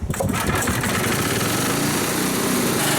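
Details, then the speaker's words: 1964 Snowbird S.263 snow remover, single-cylinder, just started cold on choke after kill-wire fix: steady even chugging, slight hunting at first until warmed up, normal. "but as soon as I choked it that thing fired up literally the first pull and there's a little bit of hunting at the beginning but that's only when it's not warmed up"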